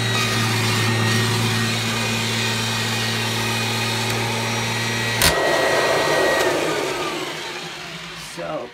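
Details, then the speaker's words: 1997 Kirby G5 upright vacuum with metal fan, recently buffed, demonstrated running with no dirt; steady, even motor hum with a clean fan whir, then a smooth wind-down after switch-off; runs healthy. "all right so now I will demonstrate the machine running all right so I won't put any I won't put any dirt or anything down I'll just use it urges them and demonstrate it like this so here we go"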